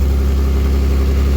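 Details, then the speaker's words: Mazda 323F V6 at idle: loud, deep, steady rumble with a coarse raspy exhaust edge; the holed exhaust keeps blowing through a sloppy patch repair, so a replacement is needed. "as you can see for my very sloppy attempt at repairing this exhaust uh these holes just will not seal um the more I put in or"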